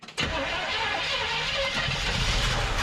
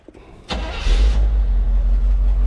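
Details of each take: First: 1975 Chevrolet C20 Scottsdale pickup, first start attempt in nine years, primer bulb squeezed: starter churns about four turns a second with a few stumbles but never catches; accelerator pump not squirting, fuel not reaching carburetor. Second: 1975 Chevrolet C20 Scottsdale V8 with Quadrajet carburetor, first start in nine years, not yet tuned: brief crank, then catches right away into a deep, steady idling rumble; starts and runs fine.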